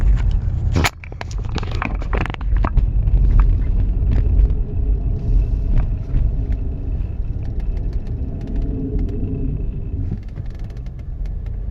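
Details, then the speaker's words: 2015 Cadillac Escalade, 158,500 miles: deep, rough grinding rumble from the rear while driving; rear brake pads worn to metal on rotors, caliper possibly sticking. "customer States there's a grinding noise coming from the rear now yo yo listen to this"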